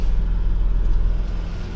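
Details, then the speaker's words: Omega after front suspension overhaul and fuel injector cleaning, restarted: low, even engine rumble with no misses, knocks or hunting; the idle settled once lambda sensors went closed loop, now running fine. "It sort itself out. And now it's running fine."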